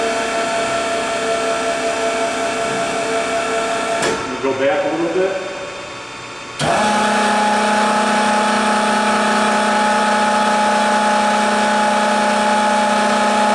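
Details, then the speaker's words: Technidrill GD/BTA-2.5-40 combination gun drill and BTA machine, hydraulic pump on the advance tailstock command: steady whine, a brief wind-down gap, then a clean restart into an even, constant tone under load. Pump healthy. "So if you want to go back over there on the tailstock, I'm going to hit advance tailstock. You'll hear that pump gear up. And I'm going to hit it now."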